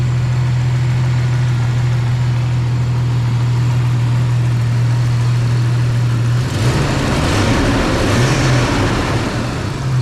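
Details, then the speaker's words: 1995 right-hand-drive Jeep Cherokee with a used XJ engine, after the swap: it catches and settles into a steady, smooth low idle, then a brief blip. It is running fine. "here you go it's done it's up and running now I can get it out of my garage"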